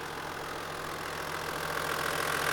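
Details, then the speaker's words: 1994 Toyota Land Cruiser 80 Series HDJ81 turbo diesel, just over 200,000 km, timing belt changed at 200,000 km: steady idle with even light clatter, no knocks or misses; engine runs well, though a slight exhaust leak may be audible. "Engine running condition is good."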